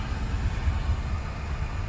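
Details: 2004 Daihatsu Sirion that cranked but would not start, now running after the faulty EFI relay was replaced: a low, steady rumble with an even beat and no misses or knocks. Normal idle after the repair.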